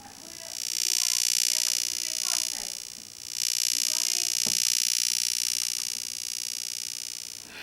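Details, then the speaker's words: Plasma TV heard through a homemade earphone amplifier, probe near the Y-sustain board: high hissy electrical buzz swelling and changing frequency with the picture; normal sustain board buzz. "I'm not even near the plasma display at the minute and I can hear a very audible buzzing"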